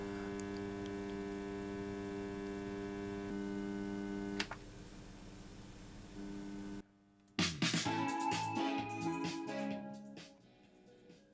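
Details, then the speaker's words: Onkyo AV receiver after board recap: steady low buzz with a thin whining edge until the switching clicks, even worse than before; persistent buzzing hum, cause not found. "But the buzzing noise is still there."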